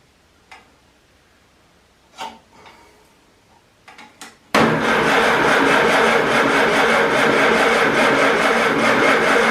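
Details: Farmall Super A tractor, long unused, after new points, condenser, plugs, wires, cap and rotor; a few clicks then steady starter cranking, never fires; power found at points and relay, owner suspects the coil; cranks but won't start.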